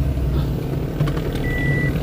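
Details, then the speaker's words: Toyota Vitz idling with reverse engaged after repair of vibration on reverse/drive engagement: even low idle rumble with reversing beep, no clunk or shudder as the gear engages; the earlier jolting is gone and the drivetrain takes reverse smoothly. "Wala nang problema reverse guys. Hindi na nanginginig yung makina. Tahimik na."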